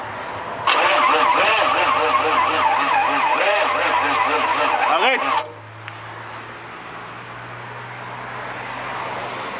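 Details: Chevrolet Suburban 6.5 turbo diesel: starter churns with a rising and falling rhythm for nearly five seconds, then stops without firing; cranks but won't start.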